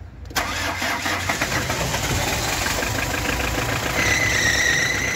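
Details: Hyundai HR diesel after fuel filter replacement: short crank, then it catches cleanly and settles into an even idle with no stumbling; starts and runs normally.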